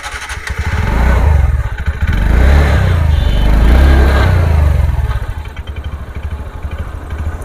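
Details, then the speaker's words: TVS Ntorq 125 BS6 scooter after a mechanic's repair: idle pulses, revs swelling up by themselves then sagging, idle RPM won't settle; erratic idle speed. "Tuning आरपीएम् ठीक से नहीं आ पा रहा है ठीक है इसका पीएम ठीक अपने आप आ रहा है"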